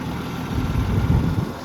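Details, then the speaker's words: Gas Oliver Super 77 tractor idling steadily after carburetor cleaned and points filed (it wouldn't start before); even low rumble, no knocks or misses, healthy idle. "it's just kind of sitting here idling I mean John took the carb apart we cleaned it that's why it wouldn't start had to file the points one more time and it's just it's just sitting here idling"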